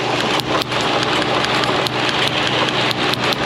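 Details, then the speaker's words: Honda Civic with flashing engine warning and misfire codes P0300–P0304: rough idle broken by irregular sharp snaps, roughly two a second, as spark leaks from the ignition wires; all cylinders misfiring at idle. "Yep, that's a misfire. They're all misfiring."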